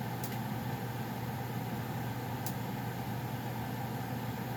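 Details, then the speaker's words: Goodman furnace running before shutdown: smooth even hum and steady low drone, no knocking or rattling; owner notes popping when shutting off; normal operation. "all right here's go I'm sure you guys heard the popping of their thing as it was shutting off"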